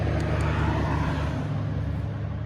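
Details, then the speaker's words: 2002 Northstar throwing P0300 random misfire and P0121 throttle position codes: a low drone that wavers in loudness; the owner suspects a vacuum leak, possibly at a vacuum tee/elbow; rough idle. "It sounds like look like a vacuum leak or something, possibly."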